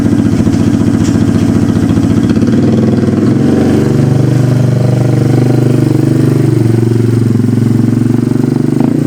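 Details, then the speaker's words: 1991 Yamaha Moto-4 250 ATV, a single-cylinder, revving: loud, raw, unmuffled bark rising and falling with the throttle, no knocks or ticks. The muffler is rotted away to nothing. "that muffler is just gone I mean there's nothing left of it"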